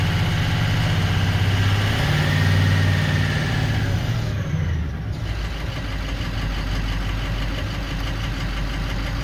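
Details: 2004 Ford 6.0L Powerstroke diesel after repair (injector wiring fixed using a 7.3 connector line): steady idle with even clatter, no stumbling or missing, running smoothly.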